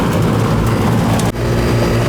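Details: Second-floor home AC condenser not cooling the house, fired up after replacing a puffy capacitor: even low hum with steady fan rush, no rattles or clicks; runs normally, though system later found overcharged with refrigerant.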